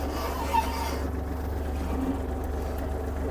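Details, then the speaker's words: Kubota GL-32 Japanese mini tractor, 31 hp diesel with front loader, started after clutch in and glow plug preheat; low, even rumble holds steady with no misses or knocks, idling normally. "Давайте ми його заведемо вижимаємо зчеплення гріємо свічку та заводимо йго завівся без питань"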